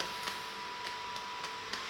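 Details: Titan TTC-SC60(B) caravan roof ventilation fan on a high setting above the three recommended for indoor quiet use: steady airy rush, constant high hum, only faint light ticks; running smoothly, noise earlier blamed on caravan roof.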